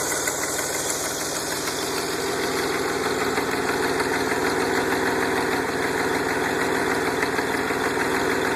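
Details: DeLorean, VIN 4534, at idle before an aftermarket exhaust kit was fitted: a sharp, even tick about three per second in time with the engine, from an exhaust leak.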